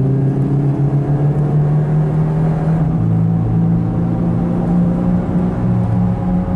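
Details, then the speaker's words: Turbo PT Cruiser convertible at highway speed: steady low growling, humming drone, the hoarse roar of a really bad worn wheel bearing, the worst the owner has heard. "wheel bearing guys that is the sound of a really bad wheel bearing that's like the worst I've ever heard"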